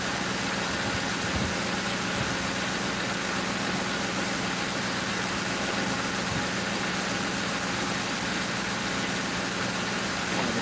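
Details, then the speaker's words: 2005 Crown Victoria police car V8 idling after replacing the grounded No. 4 ignition coil and plug that blew fuse 9 and cut all eight coils; even smooth low rumble, no stumble or ticking; normal idle. "good, you guys. Sounding pretty good."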